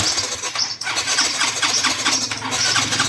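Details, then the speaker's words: Yamaha Mio 125i fuel-injected scooter: engine churns and catches unevenly with ragged surging, starting and stalling intermittently. "จะติดบ้างไม่ติดบ้างนะครับอ่าเดี๋ยวเราปิดก่อนนะครับมันจะออกอาการติดบ้างไม่เอ่อไม่ติดบ้างครับ"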